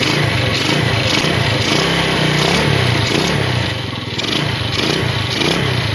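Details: Yamaha Vega RR/ZR single after combustion-chamber carbon cleaning with foam cleaner: steady run with revs rising and falling, no misses or rattles over street background; normal running.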